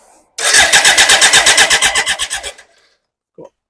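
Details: BMW K100 motorcycle that won't start: starter cranks steadily at about nine compressions a second for two seconds, then stops, never firing; fuel pump not yet heard running and a leak found, so fuel delivery suspected; crank no start.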